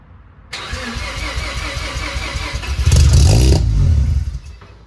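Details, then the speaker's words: Mazda RX-7 sat over 2 years, just after fuel pump replacement, in neutral and smoking: fires up, runs rough and uneven, kept alive only by feathering throttle, then fades out; won't hold idle. "Well, it runs, and I can keep it running by feathering the throttle, but I gotta figure out now why it won't stay running."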